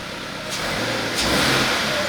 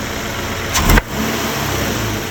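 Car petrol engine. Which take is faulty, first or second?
second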